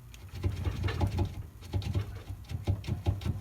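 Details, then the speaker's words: Saturn ION on jack stands, one front wheel off, sway bar shaken by hand: irregular bursts of dull low clunks as the bar rocks loose in its bushing, visible gap; worn sway bar bushing knock causing front-end clunk over bumps. "I pulled the front wheel off on just one side and I gave this a good shake and you can hear it pretty loose"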